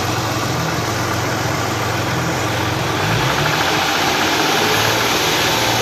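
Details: Hyundai V6 idling with a light rapid tapping over the hum and a quick rev blip midway; possible knock, source unclear.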